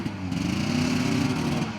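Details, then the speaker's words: 1981 Ski-Doo Blizzard 5500 two-stroke snowmobile with airbox refitted after coil fix: drones at a flat, labored pitch that never climbs despite throttle, can't move the sled; bogging, suspected plugged airbox, possibly mice. "and now it's got the problem he can't even make it move Let's uh let's take the airbox off again"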